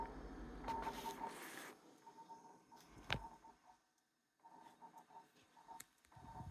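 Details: Jenn-Air high-end French three-door refrigerator with ice maker giving quick, high, bird-like chirps in short irregular bursts with soft knocks; the maker calls this normal.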